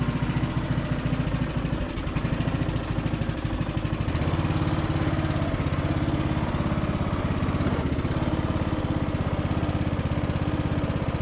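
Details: Briggs and Stratton–powered Craftsman DLT3000 riding mower mowing on test drive after no-start repair: steady single-cylinder thump, deck blades whirring evenly, no knocks or grinding; engine and spindles healthy; deck engagement cable sticking.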